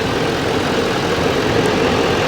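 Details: GMC Sierra 2500HD, 6.6 Duramax diesel, a flood-damaged Copart truck, heard while the engine bay is checked for salt water: dense, steady diesel clatter at a constant pace, no knocks or surges. Normal idle.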